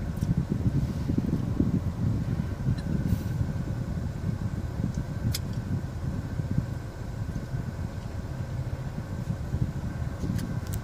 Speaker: If I turn the AC on, the whining noise comes in.